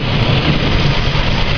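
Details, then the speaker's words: 1992 Ford EB Falcon with low cranking compression and a miss, cylinder balance test: cutting one healthy injector makes the idle lumpy and uneven, a big difference. Suspected blown head gasket. "it's a really big difference say out sort of running like crap now but see how it's making only a little difference"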